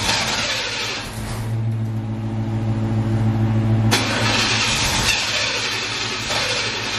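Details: C4 Corvette after jump-starting its dead battery: the starter spins the engine in a steady chug, about 3.5 beats per second, but it never fires. Crank, no start; owner later suspects air escaping.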